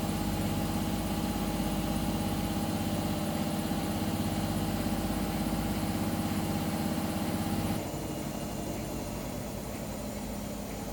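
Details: Hotpoint WMA0863 front-load washer, squeaking ever since a memory foam pillow was washed on the wool cycle: a steady hum with a fast, repeating drum squeak of about three per second; cause unconfirmed.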